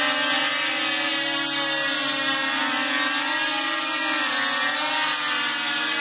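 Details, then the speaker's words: DJI Mavic Pro in flight with a propeller cage and smaller props: steady high buzzing whine with slightly wavering pitch; the motors sound strained, and the owner thinks the smaller props make them spin way too fast. "I don't know I it doesn't sound right I was very pushy with customer service I probably left spam posts on every single DJ I telling them to send these out because I've been waiting for months and months but the smaller props are making the motor spin way too fast"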